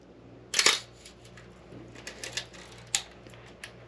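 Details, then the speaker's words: Old film camera being inspected before purchase, shutter at slow speeds; crisp double click of the two curtains a fraction of a second apart, clean and consistent; healthy slow-speed shutter. "let's go down to a 60th and you'll for sure hear it here click click and 30th 15th"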